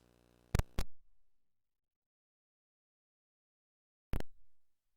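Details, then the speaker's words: Nintendo Switch headphone jack into a GoXLR mixer Line In with a cheap ground loop noise isolator fitted: a faint low hum, two plug-in clicks, then silence, a clean crisp line with the ground-loop noise gone. "and there it's gone perfect crisp sound"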